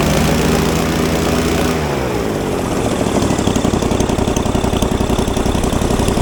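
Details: Falcon four-stroke paramotor trike on a new NOCO lithium LiFePO4 battery, just started: settles into a steady, even firing beat around three or four per second; normal, smooth running.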